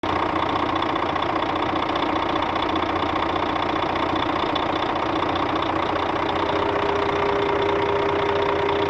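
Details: Scania K400 bus, DC13 13-litre diesel, 400 hp at 1900 rpm, at normal operating temperature, customer reports strange engine noise: steady idle with even knock about two and a half per second; cause not yet determined.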